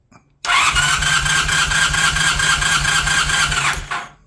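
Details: Honda CB400T Dream twin during a compression test, throttle wide open: steady, even starter cranking for about three seconds with a regular pulse, no stumble; readings 120 and just over 115, healthy normal cranking.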